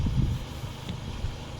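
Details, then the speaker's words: Peugeot at idle after the leaking exhaust flex pipe was replaced: low, even idle burble with no puffing or ticking from the exhaust, running quiet and sealed. "So now I've done the flex, as you can hear, it's all running nice and quiet, which is good."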